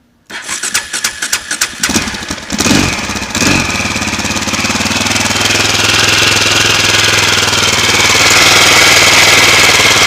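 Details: 2004 KTM LC4 640 single, 11,000 km, Akrapovic slip-on, oil at 40°C with a little choke: cranks and catches into a fast, fairly regular thumping idle with a metallic rattle on top; engine noise at cold idle, cause uncertain.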